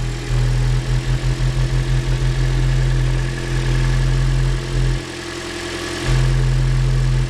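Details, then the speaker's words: 2013 Toyota Corolla at idle during a service, oil filler cap off: rhythmic puffing about three pulses a second at the filler, heavy crankcase blow-by; the worn engine is judged worn out, with a valve possibly causing the pulsing. "Engine's wore out. She's junk, Dill. All kinds of blow by. It's like a little instrument."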